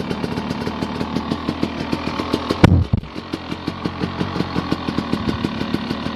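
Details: Honda dirt bike that is hard to start especially early in the morning, now running; steady single-cylinder idle with even popping exhaust pulses and a brief blip midway, settling and running smoothly; normal idle.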